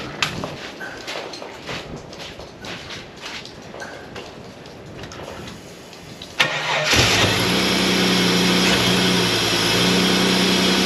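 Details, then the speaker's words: Holden VS Commodore ute, 2000 Olympic model, revived after long sitting: steady cranking at about three and a half turns a second, then it catches and runs rough and labouring with a racy exhaust; fuel gauge reads empty, cause unconfirmed. "Fairly racy exhaust by the sound of that. Struggling a little."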